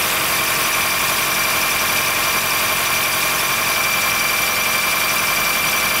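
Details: 2013 Honda Fit Hybrid (FIT3, DAA-GP5, L Package), cold-weather squeal below about 10°C that goes away once warm; thin steady high-pitched squeal over the idle hum. Dealer saw no warning codes, judged it harmless; source not located.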